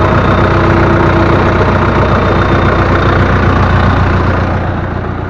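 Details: Loader tractor diesel that had a vibration, run after loose, half-unscrewed pump bolts were retightened and oil added: loud, steady idle with an even beat of about three to four pulses a second and no rattle; normal idle after the fix.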